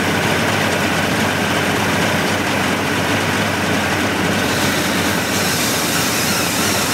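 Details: 1988 Mercury 70 hp inline three-cylinder two-stroke outboard with VRO oil injection, salt-abused engine with carb problems, restarted after work: steady, even buzzing run with no misses, surges or knocks; running cleanly and healthy.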